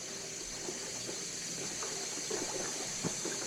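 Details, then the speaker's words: 12-year-old boiler after first service, new expansion tank and relief valve: irregular watery gurgles and trickling over a steady hiss in the second heating zone; air trapped in that zone suspected. "I think the second zone has air."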